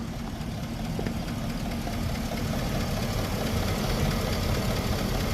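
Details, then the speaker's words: Hummer H2 6.0 LS V8 at 189,000 miles after 14 years of hard off-road use: rough idle with loud fast tick over deeper lower-engine knock; worn oil pump, damaged camshaft bearing, possibly lower-end bearings. "it's got a loud tick and it's got a bit of a lower engine knock"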